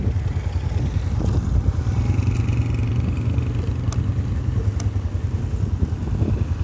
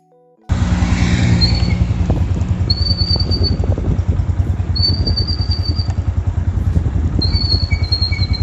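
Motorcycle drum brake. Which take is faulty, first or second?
second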